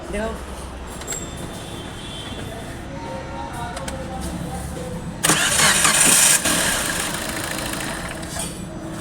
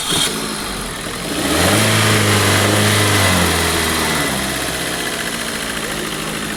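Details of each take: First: Car cranking: harsh rapid whirring grind from the starter motor peaking in a loud metallic burst before the engine runs; starter drive fault, fixed by servicing the starter. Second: Car starter after cleaning, greasing and refitting the starter pinion gear; short, clean crank catches at once and settles to steady idle with no grinding — starting noise gone, starter engages properly.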